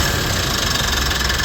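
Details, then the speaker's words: Mitsubishi Montero Gen 3, 4N15 diesel after the alternator pulley repair: a steady, even idle with a smooth regular beat and no squeal or rattle from the front of the engine. The earlier loud hum is gone, and the engine is now quiet. "Nawala na yung ingay dahil nga dito sa pulley ng alternator yan."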